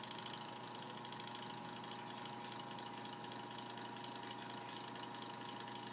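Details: Mini sanding machine after a repair of not spinning and buzzing (run capacitor replacement): a quiet, even motor whir with a light steady buzz, no stalling or hum, running normally.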